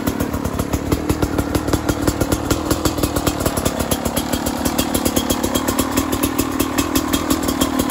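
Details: Beta RR 300 two-stroke at 138 engine hours, first start after conrod and piston rebuild: crisp, even crackle at a fast steady idle, regular pulses, no knocking or bottom-end rattle.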